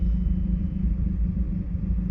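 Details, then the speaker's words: 2012 Mazda 3 Skyactiv 2.0 petrol, cooled down, idling before a spark plug change: deep, uneven, lumpy rumble from a misfire that is worse when fully cold, with an intermittent check engine light. "this sound right here it's even worse when it's completely cooled down that's because it's misfiring"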